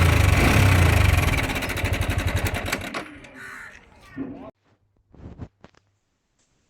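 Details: Yamaha R15 V4 single-cylinder at idle: fast, even metallic clatter riding over the idle, fading as it dies down; worn timing chain tensioner letting the chain rattle, tensioner to be replaced. Timing chain tensioner rattle.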